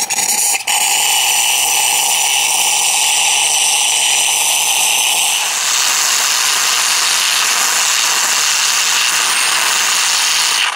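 Loud, steady hiss of a steam wand in milk, shifting to a fuller roar as frothing proceeds; normal operation.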